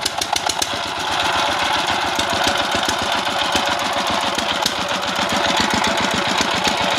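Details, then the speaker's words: Dompeng S195 single-cylinder diesel for well drilling, test run after service (timing marks aligned), for smoke-from-ventilator and power complaint: uneven thumping at about 220 firings a minute, harsh rough note; mechanic suspects gear set, rough running. "हां, यह gear set के कारण हो सकता है, इसलिए ध्वनि अभी भी खुरदरी लगती है, लेकिन हम केवल पिछली शिकायत पर ध्यान देंगे, इसलिए यहां हम पहले पिछली बीमारी की जाँ"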